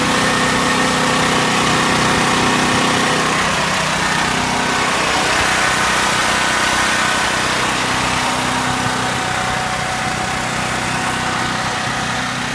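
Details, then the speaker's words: Generac LP5500 propane generator running. Very loud but even, steady drone with no surging or knocking; normal running. "here's a very noisy extremely loud it's not practical for tailgating but zip for emergency power to house"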